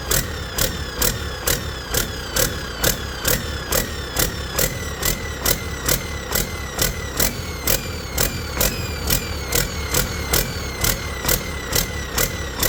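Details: Detroit 40 series generator turbo diesel (rebranded Navistar DT466, possibly DT530), sat outside 5+ years, running after bleeding injectors: speed rises and falls about twice a second at no load, throttle pulsing; owner suspects flywheel governor, unconfirmed.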